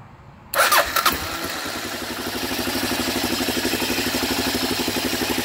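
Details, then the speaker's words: 2007 Kawasaki KLR 650 single with a no-start diagnosed by voltage drop test; cranking drops the slightly weak battery from about 12.15 to 10 volts, then a brief quick crank catches and settles into a steady, even idle thump, a clean start. "so it dropped the battery voltage from 12.15 or whatever in the battery's a little weak on this bike and drop it down to 10 volts and it started"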